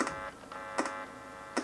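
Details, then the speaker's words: Cobra 21LTD CB radio keyed, with a finger touched to the back of the circuit board. A steady buzzing hum with a few sharp clicks shows the audio stage works, pointing to a faulty microphone. "hear that hum? So that makes me think maybe we've got a fault in this microphone."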